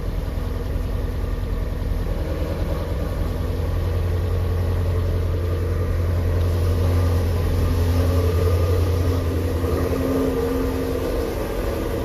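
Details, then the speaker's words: 3,800-mile 2019 Shelby GT350 with new Whipple Gen5 3.0 supercharger, long-tube catless headers, Boundary oil pump gears, in neutral at first start after install: deep steady even rumble, no knocks or ticks, good oil pressure. Normal idle. "here goes nothing guys wow it started right up good oil pressure"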